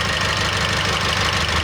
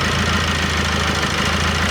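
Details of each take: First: Idle with belts removed, alternator and rollers ruled out: a thin high whistle stays; whistle seems to follow boost pressure or exhaust flow, so a leak at the turbo pipe or exhaust outlet is suspected. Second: Car with a whistle under the hood first suspected as alternator overrunning clutch or pulley, turbo gaskets replaced: even idle with low droning hum, no whistle or whine on top, engine idling normally after repair.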